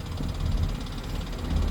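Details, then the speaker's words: 2017 Nissan Pathfinder at idle: fast, light top-end ticking over a low idle rumble, steady; sounds like lifters and likely needs repair. Cause suspected, not confirmed. "you'll notice it's got an engine noise. I don't know what that is. It sounds like lifters, sounds like ticking."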